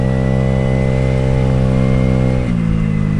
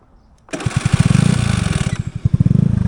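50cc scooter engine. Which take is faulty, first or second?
second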